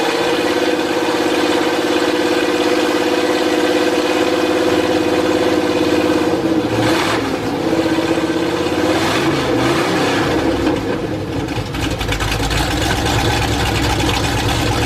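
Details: Chevy 350 V8 after flat tappet cam break-in, mufflers removed afterwards: loud open-exhaust V8 with an even, steady beat climbing cleanly with throttle and settling back, no knocks or ticks; normal idle and revving.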